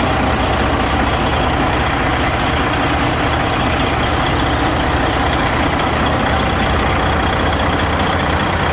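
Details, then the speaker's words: Detroit 60 Series 14L diesel semi truck, first start after in-frame rebuild, cold: deep, even rumble at steady idle with no knocks or misses; oil pressure over 50, white-bluish smoke, owner suspects injectors or overhead. "all right so we did finish the rebuild had some Kinks to work out um I'm very happy it's running it's running"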